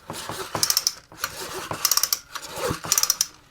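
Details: Poulan Pro PP258TP 25cc two-stroke pole saw from an estate sale, not run in a long time, being pulled over before fuel is added. Three pulls, each with ratcheting recoil clicks and an even spin-over, and no knocking or scraping. It turns over normally.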